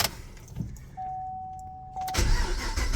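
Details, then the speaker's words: 2013 Gen 5 Camaro LS3 V8 with modified exhaust, apparently Borla mufflers and X-pipe: the starter whirs about a second, then the engine catches and settles into a deep, even rumble. A clean, healthy start; it runs like a top. "It's amazing. It's gorgeous. It's clean. It's new. It runs like a top."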